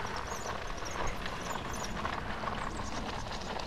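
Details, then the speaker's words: Bicycle with a punctured front tyre on a TANNUS Armour insert, ridden at about 6 mph: soft regular thumps about twice a second from the flat tyre. "That sounds a bit like I've got a flat tyre. Right. I might have a flat tyre."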